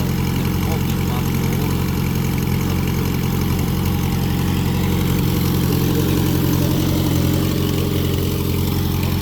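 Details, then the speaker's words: Citroën AX 4x4 barn find on a freshly charged battery, not started for some time, idling: steady, even low hum with a smooth beat and no knocks or misses; it starts easily and runs well. "Kako si rekao, tako jeste, nema šta. Lepo pali. lepo radi."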